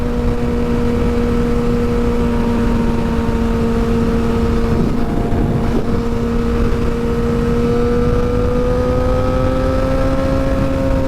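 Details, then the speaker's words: Rebuilt wrecked 2006 Suzuki GSXR 600, first ride after rebuild: smooth, steady high-pitched inline-four drone at road speed, pitch creeping up with throttle; healthy, "screaming" and sounds really nice. "Oh, she's screaming though. Sounds good. Sounds really nice."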